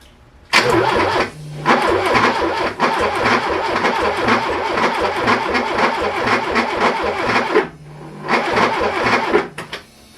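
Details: Porsche 924 during electrical and starter work: steady rhythmic starter churning for several seconds, engine never catches; cranks but won't start, with smoke and a hot coil/engine harness noticed; cause suspected, not confirmed.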